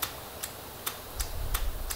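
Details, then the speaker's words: Honda Valkyrie after hydrolock, long stored, key on: sharp even clicks about twice a second with no cranking, headlight apparently dimming; starter relay chattering, no voltage reaching the relay, on low voltage from a loose plug connection. "it's trying to start trying but it's not spinning the starter right which means that it's pulling amperage"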